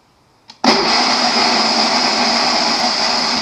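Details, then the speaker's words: Sears lawn mower, started after adding gasoline and an earlier spark problem: quick crank catches and it settles into a steady buzzy run with no knocks or misses. Engine running. "well that sounds pretty promising so I'm totally shocked it cranks over it runs it's totally shocking"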